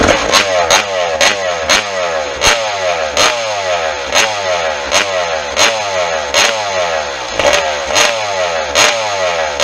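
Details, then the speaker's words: Restored 1996 RM250 two-stroke, first startup after fuel and exhaust systems were rebuilt, engine still cold, water pump impeller confirmed pumping: crisp rev bursts about every second, each pulling cleanly and dropping back. Runs strong. "Obviously the engine's nowhere near hot, just running that little bit."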